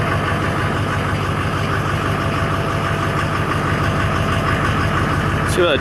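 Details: Duramax LBZ diesel after 60% over injectors, modded CP3 high-flow kit and fuel system rebuild: it fires into a steady low, even rumble without stumbling.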